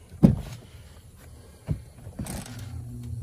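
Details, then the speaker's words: HVAC system after new float switch installed in series with the existing one: a couple of clicks, then refrigerant flows and the blower motor comes up to a low steady hum after its delay; normal restart. "and there's the blower motor so new float switch tied in with the ss one"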